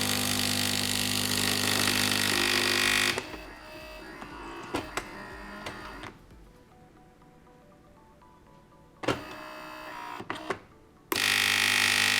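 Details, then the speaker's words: Philips LatteGo espresso machine, pump inlet hose pinched to simulate fault: harsh loud buzzing pump bursts, two or three tries with quiet gaps then error; pump running dry, cause failed or clogged flowmeter or blocked intake. "No i teraz słuchajcie, bo i po dźwięku będzie słychać. Od razu pompa pracuje dużo głośniej."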